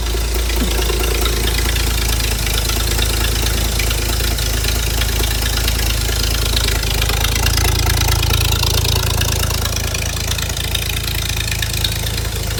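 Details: Ford inline-six in a Hobart ground power unit, sitting 8+ years, after a new fuel line was run: loud steady low drone with an even beat and no knocks or misses; running properly.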